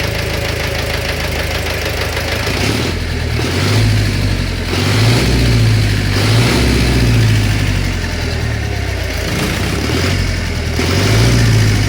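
A steady idle carries a dull knock at about four per second, uneven at times and persisting under slight revs, pointing to an internal engine knock.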